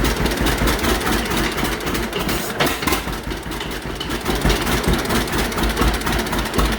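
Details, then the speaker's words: 1951 John Deere Model A, first run after about 30 years sitting, on booster, no coolant, oil pressure showing: slow, loping, slightly uneven two-cylinder putter at low idle on initial settings, no knocks or rattles; healthy. "look at that low idle just on initial settings"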